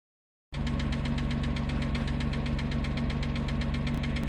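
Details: 2006 Porsche Cayman S after engine wash and first oil/filter change in years (sludge, collapsed filter, low oil pressure warning): loud sharp ticking about four per second at idle; additive didn't help, owner suspects lifters, to be replaced.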